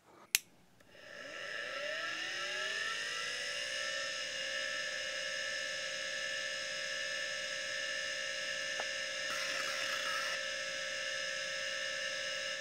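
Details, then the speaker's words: 1987 MFM hard drive: click at power-on, spindle whine climbs and settles steady, brief quiet head-seek chatter (likely voice-coil positioning), no weird noises; normal healthy spin-up. "So I'd say that that sounds like a relatively healthy hard drive, no weird noises, and there does seem to be some kind of head-seeking sound."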